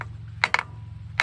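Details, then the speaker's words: Hammer drop test on valve stems of a 1962 Buick LeSabre straight-eight, stored outside for decades; bright ringing tick with rebound, so this valve moves freely, unlike a stuck one that lands dead. "Compared to this one, see that? Sounds very different, and it bounces."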